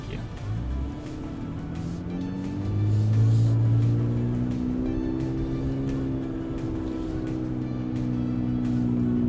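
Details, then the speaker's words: Ram 1500 inline-6 twin turbo with prototype MBRP exhaust, 3-inch perf resonator and Helmholtz tube, climbing a short hill in first gear: steady rising note with no midrange drone; smooth, tuned properly, drone gone at 2,000-2,200 RPM. "That was much smoother. So it is tuned properly."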